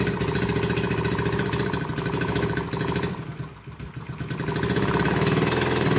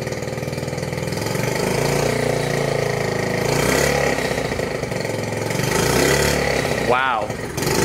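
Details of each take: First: Barn-find 1969 Honda Z50 Mini Trail, cold, choke half: small single sputters at an uneven, lumpy idle nearly stumbling; idle possibly set too low, suspected, and ran better once warmed up. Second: 1969 Honda Z50 Mini Trail barn find, not run in years, now warmed up. Small single throttle blips rise crisply and drop back cleanly to a steady putter; the engine revs freely and sounds healthy.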